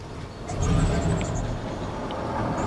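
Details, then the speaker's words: 1999 Dodge Ram Sport, abandoned six years, on a 150-mile drive: V8 rumbles low and uneven, surging and sagging while running on its own, then stalls; rough running blamed on damaged crank sensor and O2 wiring. "oh she was running on her own listen to that there she go she's gonna die yeah she's gonna die"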